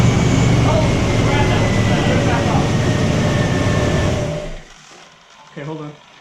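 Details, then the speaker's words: 1996 Chevy K1500 Silverado after replacing the worn original starter: strong even cranking that catches and runs smoothly for a few seconds before shutting off; new starter sounds healthy. "yeah guys how you change the starter that sounds that sounded really good"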